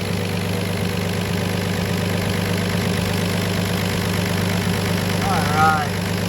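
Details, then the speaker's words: BMW E36 build after head gasket replacement (failed Athena cut-ring gasket), first start: steady, smooth idle with even low hum, no knock, tick, misfire, fuel or exhaust leaks; healthy. "good no fuel leaks no exhaust leaks no Miss fire listen to that idle woo yeah baby good"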